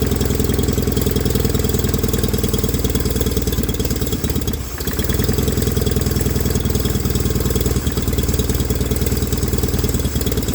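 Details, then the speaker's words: 1989 John Deere 420 garden tractor after getting the fuel pump working: small engine settles into a steady, even idle with regular firing, no misses or knocks; runs and drives. "do so so really well we now have a running driving john deere 420"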